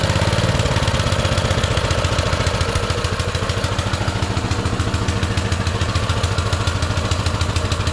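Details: Baja Motorsports Baja Warrior mini bike with small Japanese-made carburetor, just started: a rapid, even buzzing putter well above normal tickover, idling too high on choke; the owner fears taking the choke off will make it rev higher.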